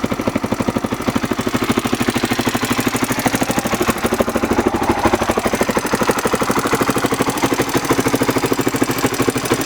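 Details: Honda XR600R single-cylinder at idle: sharp regular ticking about three per second; top-end tick of unknown cause.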